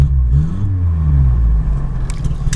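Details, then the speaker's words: 1980 Honda Accord with new Weber 32/36 carburettor, warming up: deep steady exhaust note rising cleanly with throttle, no misses; idle more stabilized, firing on all cylinders. "Idle's a little more stabilized now, and it does sound like once I hit the gas, this thing is absolutely hitting on all cylinders."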